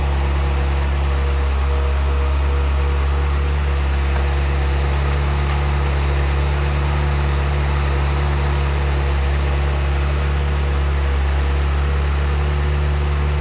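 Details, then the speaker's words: Ferrari F355 V8 after top-end rebuild, idling as it warms with oil near 180°F: a steady, even low hum with no knocks or stumbles, a smooth idle; it sounds good. "make sure we don't have any leaks, and it's running nice. Sounds good."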